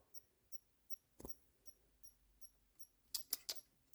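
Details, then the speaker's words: Used non-working Xbox One S after reassembly and power cord plugged in: faint high chirps roughly every third of a second with some louder clicks, power supply chirping while the console stays unresponsive, even with another power cord. "okay that's strange it almost sounds like a bomb it's about to go off"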